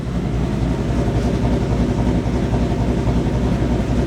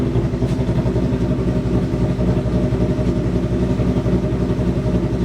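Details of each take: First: 2023 Ford Mustang switched to E85, stock headers and stock exhaust, exhaust valves fully open, high idle coming down from 1000 rpm: loping, choppy, uneven idle that sounds like a misfire, yet fairly quiet; rough idle. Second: 2023 Mustang on E85 with stock headers, just after start: fast, even pulse with lumpy exhaust note as high idle slowly drops toward 1,000 rpm; normal post-start high idle.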